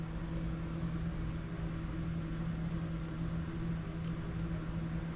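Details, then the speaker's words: Husqvarna YTH24K54 riding mower with a battery charger connected: a constant low electrical hum at an unchanging pitch. Source unclear; first thought not the charger, later guessed to be the charger humming. "I guess it is like battery charger making it humming sounds"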